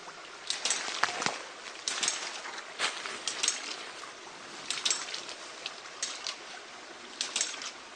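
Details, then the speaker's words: Newly installed homemade hydraulic ram pump irrigating a sequoia sapling: splashy clack almost one second apart over trickling water, lower frequency than expected; pump cycling steadily and already lifting water over the ridge. "There it is. It's in operation. As I said, the frequency is a lot lower. I expect it to chatter. This is almost 1 second apart."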